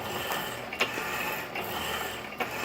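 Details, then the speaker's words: 1916 Diamond Saw Works power hacksaw driven by a 1915 1/4hp Century Model RS motor at just over 60 strokes a minute: light hum with a sharp click about every 0.8 s from the worn saw-frame pin and black bushing, to be brazed later. "It's not my target I wanted because the pin on the saw frame is worn. You hear that clicking sounds, that black bushing back in the back."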